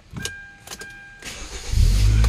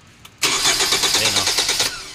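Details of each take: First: Hyundai Tucson that previously cranked but wouldn't start and had no throttle response, repaired earlier via the ECU, now tested without a passcode: a few key clicks and a chime, then it catches almost at once and settles into a steady low rumble, a clean start. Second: Hyundai Tucson, previously repaired ECU and no stored codes: starter cranks steadily about a second and a half with even compression pulses but never catches; no fuel reaching the engine-side line, fuel pump to be checked.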